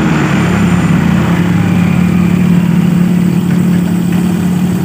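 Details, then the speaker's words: Honda Vario 125 scooter, after repairing the broken speed sensor wiring at the final-drive gear: strong steady high-rpm drone without bogging, surging or stumbling; normal high-rpm running. "akselerasi pada putaran atas ini normal kita matikan berarti ini jelas ya permasalahnya cuman di bagian kabel ini ya"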